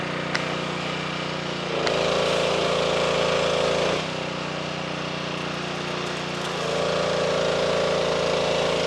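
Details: Simpson 2.4 gallon petrol pressure washer after replacing the pump for lost pressure (unloader repair failed): steady engine drone takes on a higher whine for a few seconds, drops back, returns; running and building pressure normally.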